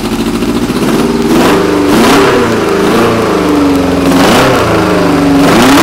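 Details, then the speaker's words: Old stunt motorcycle, first start of the year, choke on: engine pulls evenly, revs climbing and dropping cleanly with throttle blips, no knocks or rattles; runs healthy. "want to turn choke off there anyway that's what she sounds like that's the whole bike"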